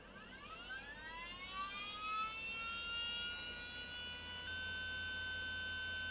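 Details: Panasonic AG-4700 S-VHS recorder (similar to NV-HS1000) at power-up: thin whine sweeps steeply upward for about two seconds then holds high and steady, suggesting the head drum motor is spinning too fast; lower drum motor suspected.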